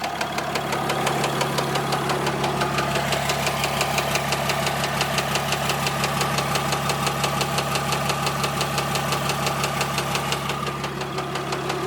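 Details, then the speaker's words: Warm diesel idle on a 4th-gen dually truck at about 180 degrees: sharp, regular knock about three times a second, obvious, with slight typical blow-by; owner suspects an injector, source unconfirmed. "But I don't know if you guys can hear that knocking, but it's like pretty obvious. A little bit of blow by, it's nothing crazy though."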